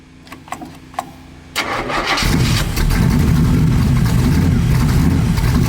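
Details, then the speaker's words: 1970 Chevy Nova small-block V8 race car (Turbo 350 with shift kit), long broken and in disrepair, clicks, cranks and catches quickly into a loud, steady, lumpy idle; normal start and idle. "All right, hop in this thing and fire it up so we can give it a vitals check."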